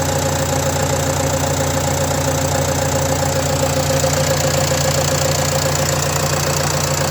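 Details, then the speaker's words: Renault Trafic 2 phase 2, 2.0 dCi M9R 780 diesel, cold-start idle after replacing a failed PCV valve (fault: lack of power, high fuel use): even clatter, no stumble, hunting or odd knock; runs much better. "Voilà, donc ça tourne beaucoup mieux. En tout cas, c'est une sensation, on verra sur la route."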